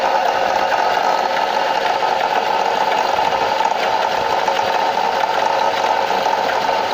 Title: Стук в двигателе